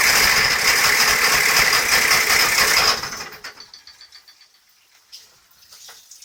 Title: AQAD40B noise at idle